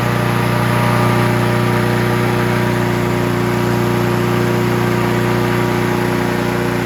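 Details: Honda HR17 push mower, year unknown (owner guesses early-to-mid 80s), small flathead Honda engine, shroud off, after freeing a stuck governor and likely butterfly: started right up, steady even single-cylinder putter at governed operating RPM, no surging or misses; normal running.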